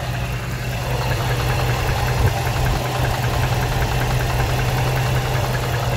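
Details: 2005 Dodge Ram 1500, 5.7 Hemi V8 at idle: steady idle with a dull, irregular knock, two or three raps a second. Owner doubts the flexplate and suspects the lower end, crank or main bearings. Unconfirmed.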